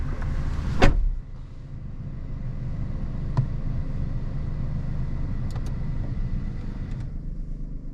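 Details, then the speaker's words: 2021 Suzuki Alto VXR/VXL 660cc at idle with radiator fan running: low steady hum with soft fan rush and a couple of clicks; fan noise is normal, found in every car. "मैं इसी की जो पंखा है उसकी आवाज है वह नॉर्मल है हर गाड़ी में आती है"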